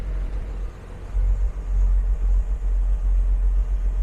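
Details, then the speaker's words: Jaguar XJS V12 after fitting correct NGK BR7EF tapered plugs: deep steady rumble held at raised revs, smooth and even with slight wavering; running on all twelve cylinders again, occasionally losing a little. "we are back on 12. sometimes we're losing a little bit"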